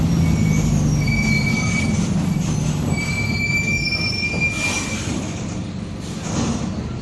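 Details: Onboard 2007 Torino bus on Mercedes-Benz OF-1722M chassis (Grande Londrina 4178) under way: a high wavering whine over the steady diesel rumble that shifts with load, a growling differential, cause not confirmed.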